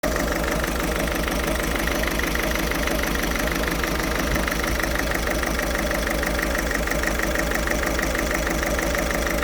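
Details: Ford Fiesta 1.6 TDCi diesel at idle: busy clattering, slightly uneven pulsing rough idle; still smokes acrid when revved.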